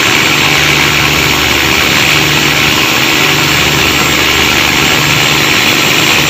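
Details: Cummins KTA19 marine diesel with a fault of noise and black smoke: loud, rough, uneven roar with a harsh hissing edge; the engine runs noisy and the cause cannot be told by ear.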